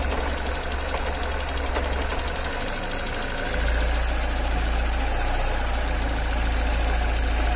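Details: Cold engine on a morning start: uneven idle with a low, shaky rumble and a steady light tick about four a second; cause not identified.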